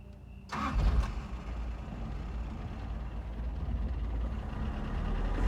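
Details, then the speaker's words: 1983 Toyota pickup cold start: short crank, catches right away and settles to steady even idle with no knocks or misses; throwout bearing noise present that disappears when the clutch is depressed; normal cold start. "So yeah, runs pretty good, starts pretty good."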